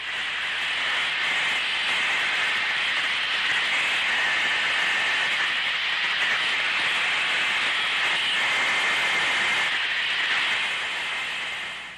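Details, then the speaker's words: Heat exchanger tested by the pressure method: outlets sealed, house air fed to the inlet, heard through the Ultraprobe scanning module. Steady, toneless rushing hiss of escaping air; heat exchanger tube leak. "Listen for the characteristic rushing sound of a leak with the ultraprobe scanning module."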